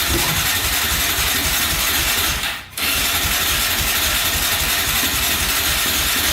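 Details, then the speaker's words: 2004 Yamaha Raptor 660 quad, rough condition, fresh oil, gas poured down the carburetor, choke pulled by hand: steady hissy starter whirr with a short pause, no firing; fuel-starved no start from clogged pilot jet. "Well, she doesn't want to go. Huh. Fuel directly down there."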